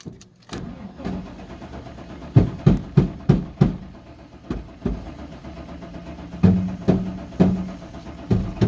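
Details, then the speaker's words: 1999 Chevy Suburban that sat about three years: bursts of starter cranking, about three turns a second, with no firing, and no fuel pump heard running. Owner suspects a dead fuel pump. "yeah it's pumps toast it ready oh"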